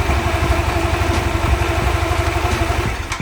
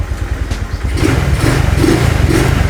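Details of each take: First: Honda Vario carburetor scooter with new TSF Racing carbon-steel double clutch bell and shoes, running without the CVT cover: uneven idle with a light jerky rattle as the bell and shoes grip; noisy clutch rattle. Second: Honda Vario carburetor scooter after installing a TSF Racing carbon-steel double CVT clutch bell: single-cylinder picks up smoothly with a steady, even beat, no clutch-side rattle; the CVT is quiet.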